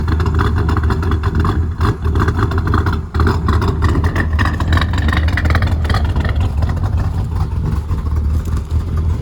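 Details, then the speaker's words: Speed-density LT1 with a big cam, no mass airflow sensor, during tuning with good fuel pressure: deep, choppy idle that surges and dips unevenly, the loping beat of a big cam that won't idle low. "okay I got the idle going a little better I can't let it go too low it's hard to run a big cam at a low idle"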